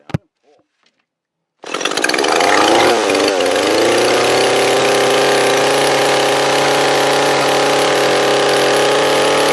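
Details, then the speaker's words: Echo CS-341 chainsaw at full throttle while the high-speed mixture screw is set: screw turned out then in until the engine screams steadily, then backed off slightly richer. "a tuning barrel and like I said we're gonna go for the high meet twist it out and then in and want to go screaming and then the little richer"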